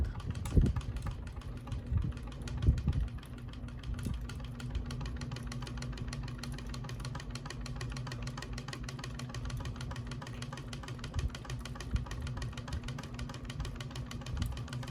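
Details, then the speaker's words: Flush-mount three-blade ceiling fan, possibly a Hampton Bay: a steady low hum with a fast, light rattle and a few louder knocks; blades not tightened enough are suspected, and the globe and pull chain are also suspected. "sooo that's loud we're going to listen for it to take it's making the rattling but it's the blades are rattling I must have not put them in tight tight enough"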